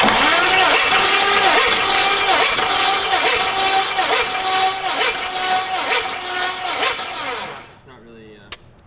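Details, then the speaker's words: 5.3 LS-swapped Ford Ranger after a cam install, cranking during a compression test with the lifters not yet pumped up: the starter turns slowly, about two and a half labored turns a second, and never catches. Low battery suspected; a jump box is wanted. "a jump box on the thing. Why is it spin so slow?"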